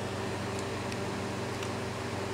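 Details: Maco 750 tube amplifier, modded 23V filament transformer with mixed 21/23V tubes, warming up after power-on: constant low transformer hum with steady cooling-fan rush, no buzzing, rattles or crackle; normal fan and transformer hum.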